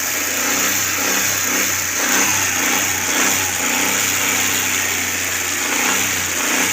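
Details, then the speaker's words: Carbureted Suzuki Cultus after CDI and ignition coil replacement: engine held at fast constant speed, steady hiss with no stumbles or surges. "लेकिन engine constant speed प इसका जो है इस च रहा है"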